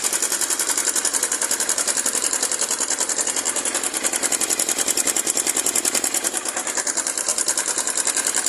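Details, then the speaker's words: Honda CG 150 Titan engine noise: fast, even metallic clatter of several ticks a second dominating the engine. Slack, worn cam chain slaps despite the tensioner being in place. Chain and guides need replacing. "isso faz o grande barulho essa folga mesmo com esticador Ali no lugar aí lá dentro tá comidinha"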